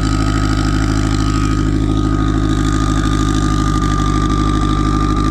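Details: Turbo car on E98 fuel, runs rich on the low end, kept under 4 psi. Loud, lumpy idle with an uneven low pulse that never settles; tune is for a 6466 turbo with 1.05 housing but a Precision 7675 is fitted.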